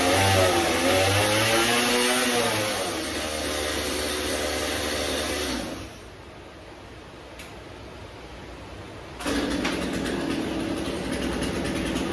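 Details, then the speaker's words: Stihl chainsaw after carburetor cleanout, warmed up a little: it revs high, then drops to a steady, even low idle of about three and a half beats a second with no stumbling, normal idle. "Alright. So that's my low idle. That sounds good."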